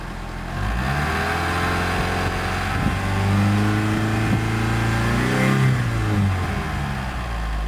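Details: Mitsubishi 4G63 revved up and down, idle raised to 1300 rpm with alternator and power steering removed: tone climbs and falls with speed, strongest 2000-3000 rpm, quieter above 4000; owner suspected silent shaft, actually a bad timing belt tensioner.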